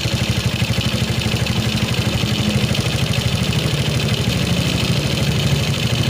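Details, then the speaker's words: Quick, even putter at idle from a Suzuki Shogun 125 carbureted single after setting the air screw; idle speed now normal, no stumbling. "we turn it down a little OK, the speed is normal"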